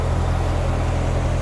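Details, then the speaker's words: C4 Corvette V8 at idle with a burnt hole in the muffler. Loud, deep, coarse, steady rumble like a dump truck as exhaust escapes through the holed muffler. Exhaust leak. "it sounds like a dump truck because the muffler has a burnt hole in it so essentially"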